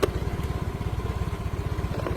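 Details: Yamaha Mio M3 scooter after its shorted starter relay was fixed by tapping it; running with the jumper removed, charging over 13 V; small single-cylinder putter at a steady even beat, no misses or knocks; normal idle.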